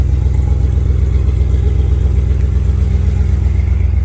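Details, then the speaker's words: 1994 Jeep Grand Cherokee rock crawler, engine with new timing chain, water pump and radiator, given a little gas: deep, even exhaust drone with steady pulse, no clatter or misses; very responsive, runs clean and picks up readily. "give it a little gas so you can hear it [Music] very responsive"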